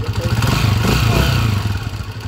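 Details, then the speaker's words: Honda TMX155 single-cylinder motorcycle engine, third year, idling before overhaul: busy mechanical clatter over deep exhaust thump from rough, worn timing gear, possibly still the stock gear. "Aro, magaspang na yung timing gear niya. Lagitikpay. Oh. Okay. So yung mga ganyang tunog timing gear na yan."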